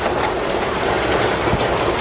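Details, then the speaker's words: Ford Cortina MK3 estate on its first road test since 1977, after a rear brake rebuild (new wheel cylinders and brake lines) and handbrake adjustment. Quick repeating clicks over road and engine noise while driving; the owner suspects rubbing in the brakes. "What's that clicking noise? Sounds like someone's rubbing, doesn't it, on brakes?"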